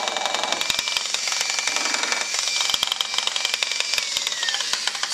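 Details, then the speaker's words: Used Makita 9227C polisher/buffer running: a loud, harsh grind with irregular clattering knocks like rocks tumbling in the gearhead. The owner suspected the bearing or bevel gear; the bevel gear teeth turned out to be chewed. "all right so it's making uh a lot of noise you can it almost sounds like a rocks are tumbling in it"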